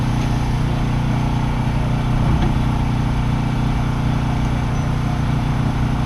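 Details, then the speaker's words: 2005 Dodge Magnum RWD on the road after front hub bearing replacement (part DL513224): steady low road and drivetrain rumble, no growl or hum rising with speed; new front wheel bearing is quiet. "Quiet. I don't know if you can hear the bad hub bearing before, but it's very quiet."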